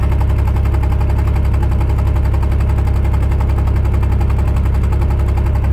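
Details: 2001 Pontiac Grand Am, cylinder 3 misfire code persisting after plug and wire swap, coolant smell and white exhaust smoke: heavy, lumpy idle about 220 beats a minute with uneven beat; misfire from suspected blown head gasket.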